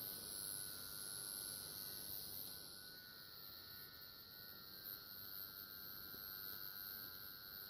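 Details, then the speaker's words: AN/PDR-20 military radiation detector with vibrator power supply, one tube missing: faint, steady high buzz with a soft hiss, even throughout; vibrator supply running normally. "it's a vibrating supply in here so yeah this gets better it let's turn it on like NFS there we go hear that multiple a we're getting some kick here"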